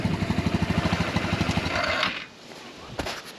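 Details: Yerf Dog Rover 150cc UTV with GY6 150cc single-cylinder engine, after linkage grease: pops along at a quick even beat for two seconds then is cut; runs cleanly.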